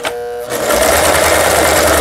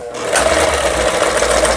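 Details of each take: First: Yamata FY812 Chinese sewing machine, about 15 years old, after repair of seized internals, on SS setting: start-stop bursts of uneven, harsh stitching clatter; runs rough overall, attributed to a cheap machine with weak internals. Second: Yamata FY812 Chinese sewing machine, about 15–20 years old, after repair of seized internals: even, quick whir with steady stitch rhythm and no knocks or grinding; stitches well, though several spots still need adjustment.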